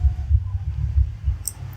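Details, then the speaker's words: DIY automatic water-motor controller (C945 transistor, 1 MΩ resistor, 12V DC relay), probe dipped in water and lifted: soft low clicks in quick bursts as relay switches on and off; normal relay clicking. "ඔයාලට සද්දයක් ඇහෙනවා ඇති මේකේ පොඩි සද්දයක් ඇහෙනවා. ඒ relay එක on of වෙනවා. මේක වතුරට ගියාම රිලේ එක ඔන් වෙනවා. උඩට ගත්තම ඔෆ් වෙනවා."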